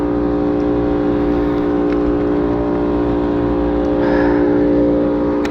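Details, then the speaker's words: Rooftop AC unit not cooling, no condensate from drain: harsh, rough steady compressor drone; contactor burnt, blower motor not starting, so compressor and evaporator coil iced up. "Compressor doesn't sound right. Have water underneath. Nothing out of the drain."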